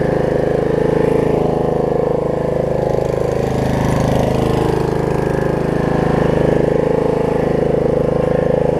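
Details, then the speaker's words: Snapper 28-inch rear engine rider mower, after plug pulled and refitted, owner suspecting bad or too much gas: smooth, steady beat with no stumbles or misses; runs clean and healthy. "doesn't do anything listen to how good it runs"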